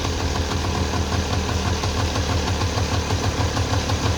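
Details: 1994 Polaris two-stroke 4x4 quad, long sitting, idling after battery charge and starting fluid; brisk even chatter holding steady without stumbling, quite smoky; running fine, just needed the battery charged.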